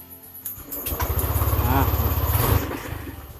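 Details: Honda Vario scooter whose electrics and electric starter were all dead (ran only on kick start), after repair with the battery reconnected: starter whirrs briefly, engine catches and settles into an even low putter; starts cleanly on the button.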